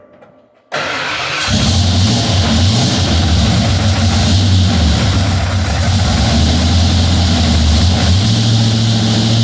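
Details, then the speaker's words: Ford F-150 with 351 small-block Ford bored 30 over, Pro Max aluminum heads, carb, long tubes: fires up and revs with fast hard diesel-like clatter across the RPM range; noisy ProForm retrofit roller rockers, poly locks found rubbing inside rockers, possibly the cause. "Well, now that we got these rockers off, I can kind of see maybe why they're kind of noisy. I don't know if you can see that, but the poly locks are actually rubbing on the inside of some of these rockers."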